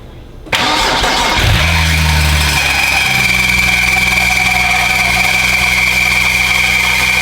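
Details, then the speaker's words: BMW 135i with N54 engine, first start after reinstalling the engine and priming oil; it catches and fast-idles under a steady high metallic scrape, no smoke, not rod knock; owner suspects flywheel, possibly transmission. "all right guys as you guys saw the car actually started so the engine actually started up but from what it sounds like it kind of sounds like we have a flywheel"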